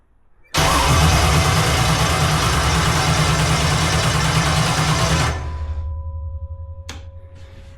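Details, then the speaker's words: Jet boat in neutral via jet-away, extra fuel given: steady fast cranking about five seconds, no firing, winds down; owner first suspected rain-damaged ignition, cause was bad gas. "All right, it should have fired off by now. So, I'm going to dig into this a little bit."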